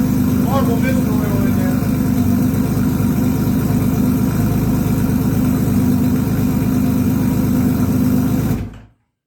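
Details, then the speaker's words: 1982 Honda CBX 1000 six-cylinder, first start after carb repair: four of six float-bowl overflow tubes were cracked or pinholed, fixed and bench-tested leak-free, carbs already holding fuel. Not yet warmed up. Steady, even idle with a smooth low burble, no knocks or misses, before cutting off; normal. "Damn, man, that's exactly how it's supposed to happen. Right there."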